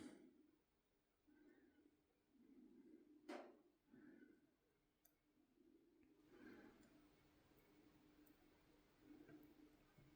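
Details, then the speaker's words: Favero RS pedal, brand new, after three rides: soft rhythmic clicks and knocks once per turn as the pedal spins. The pedal wobbles, new abnormal clicking pointing to play in the pedal. "As I said before, this started uh after three rides. I hear a clicking sound. This is not normal. This is new."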